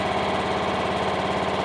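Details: Craftsman riding mower with 22 hours on the meter and a borrowed battery, idling on its own after first stalling on choke: steady, even single-cylinder chuffing with no misses or stumbles, a normal idle.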